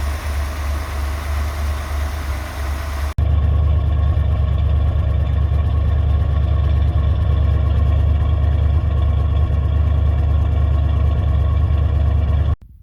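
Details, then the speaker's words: Ford Econoline E350 RV motorhome, 5.7 L V8, warming up before an oil change (old filter corroded): strong, steady fast-idle rumble with evenly paced pulses, "not a tick, not a rattle"; engine sounds healthy. "you probably can't appreciate it from the video but this sounds absolutely beautiful there's not a tick not a rattle nothing"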